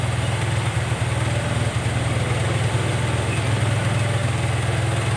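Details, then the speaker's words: Carbureted Honda Vario 110 (Vario Techno) scooter: low putter idle that keeps rising and falling on its own. Hunting idle. "Dia itu naik sendiri, turun sendiri. Naik sendiri turun sendiri. Ndak langsamnya itu gak normal guys ya."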